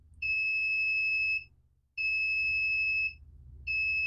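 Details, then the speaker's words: Three long, high beeps over a low hum as the soldering station reaches temperature, signalling it is ready, during repair of a Commodore 64 with a black screen. "station is just about up you hear the beeps momentarily"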